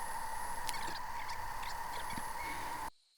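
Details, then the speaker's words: Hcalory 8 kW diesel parking heater warming a workshop, camera close to the heater. Constant mid-pitched fan hum with steady airflow hiss, no rattles, then it cuts off. It reached 74.8° six minutes after starting; normal operation. "so with my camera being so close to the heater, my audio commentary was drowned out by the noise from the fan. But essentially it was just a test on how quickly the heater could get up to temperature."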